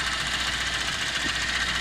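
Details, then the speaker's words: VAZ 2109 at about 192,000 km, warm at about 80°C after driving: a fast, light ticking over a quiet idle, noisier than a rebuilt engine, from worn valve tappet seats. "Там температура что-то 80. чуть-чуть шумноватый, но есть, конечно, вот когда двигатель после капиталки полностью с головой, ну, полностью нормальный двигатель, то он тише работает, чем этот."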